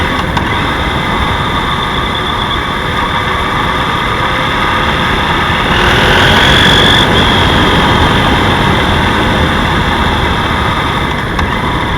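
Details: BMW F 800 GS motorcycle at idle: light, fairly even tapping about four knocks a second over the engine note; knock source unknown.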